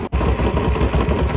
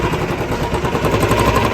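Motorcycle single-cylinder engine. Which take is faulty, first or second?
second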